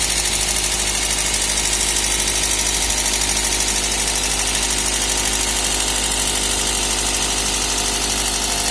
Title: Стук клапанов 1ZZ